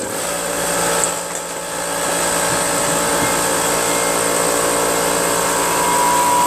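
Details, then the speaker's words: Brute Briggs & Stratton-engine 10-gallon 125 psi air compressor running with cover and air filter back on, after check valve work and pressure switch screw adjustment; steady even pump chatter and high whine, no knocks, running healthy. "the uh cover isolates the air from the blower onto the engine and so you don't go deaf the air cleaner back in air filter that dampens the sound a little bit and keeps that Canal clean from any dust"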